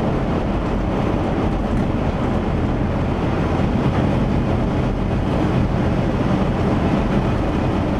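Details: 1977 Chevy van driving after exhaust repair: low steady rumble with road roar and no puffing or ticking, much quieter than before; quiet exhaust.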